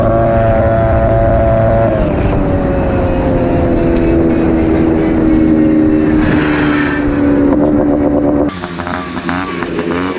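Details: 1979 Honda Odyssey FL250 two-stroke after full rebuild with newly machined cylinder and DG expansion pipe, giving way higher top speed: crisp buzz pulling smoothly through the revs then easing off, no misfire or rattle; healthy.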